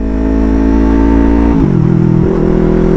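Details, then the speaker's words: Yamaha R3 with full-system exhaust after fitting an SRB resonator to cure excessive noise and backfire. Strong steady exhaust drone dropping in pitch on a shift, round and even, no popping or rasp; healthy, rounder note. "gumanda yung tunog ng tambutso natin mga amigo mas bumilog siya"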